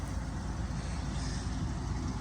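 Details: 1958 Buick Special at its first start after sitting two years in damp storage, taking about 30 minutes to get going: deep, steady low rumble with no knocks or misses. Normal running.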